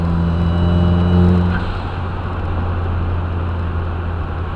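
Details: Turbo engine after 2J front-mount intercooler install, dash cam audio: loud steady low trumpet-like honk drones under full throttle once boost exceeds about 8 psi, then fades; boost leak suspected, not confirmed.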